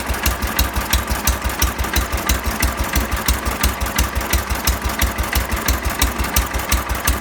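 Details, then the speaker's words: 1970 John Deere 140 single-cylinder, fired up after its no-fuel problem was fixed by pressurizing the gas tank; the engine chugs at a low, fairly even idle of roughly 250–500 rpm with steady firing pulses, running normally. "Gave it a little bit of pressure, and it fired right up. Idling it like, I don't know, 250 RPM, 500 RPM, something like that."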